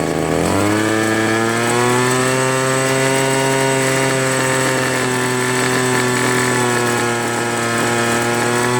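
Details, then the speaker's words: Free two-stroke leaf blower (Troy Bilt/Homelite) that only started on low choke: it revs to a high buzzing whine, then sags and wavers; won't go high throttle unless choke is mid. One carburetor high-low mixture screw is missing. "It doesn't run at full throttle for long. It wants to slow down. put it to full run. It won't go high throttle."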